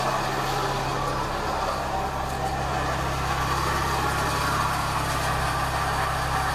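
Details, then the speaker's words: Toyota Echo engine idling after an intake replacement, with the radiator removed and no coolant: a loose, busy rattle rides steadily over the firing beat; worn water pump bearing, the water pump is finished. "Okay, sounds good. Buddy, water pumps had it. What caused that to happen?"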